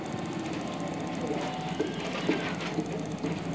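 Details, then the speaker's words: Hero Splendor iSmart motorcycle, engine cold, with a new CDI fitted after it cut out when hot and lost ignition current; steady even single-cylinder putter at fast cold idle, starts and runs cleanly with proper current: normal cold idle. "Bike start भी होगी bike फर्स class start है current proper आ रहा"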